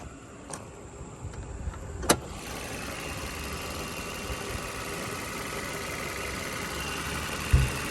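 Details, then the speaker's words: 2017 Chevy Malibu, 167,000 miles, auction car with low fuel, airbag and tire pressure lights; brief start then soft even hum, no knocks or ticks, motor very quiet; normal idle. "I'm going to pop the hood motor runs very quiet"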